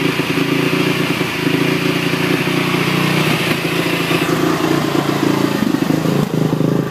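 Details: 2008 Honda TRX450ER single-cylinder ATV idling fast and rough, wavering; starts cold but idle stays high with choke off, and after restart makes loud noise then dies; owner suspects something slipping at start.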